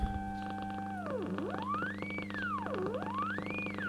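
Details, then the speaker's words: Hallicrafters S-20R tube receiver, first power-up with bad filter caps: clear whistle sweeps smoothly up and down in pitch over steady low hum; BFO working, producing heterodyne tone. "The BFO is working. Can you believe it? That is crazy."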